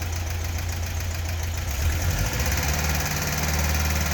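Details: 1976 fuel-injected VW Beetle convertible air-cooled flat-four, just rebuilt (top end only). Steady, even low idle with no knocks, ticks or misses, and no smoke or noises on startup. Runs smoothly and healthy.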